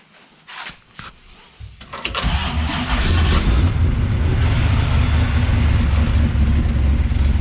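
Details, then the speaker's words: Ultima GTR with an American V8, hot, after the high idle was lowered: it cranks, catches and settles into a steady, even low rumble with a smooth lope. The idle now sounds correctly set; the tach is not working. "so that sounds a whole lot better probably idling where it should be although the tack doesn't work anyway"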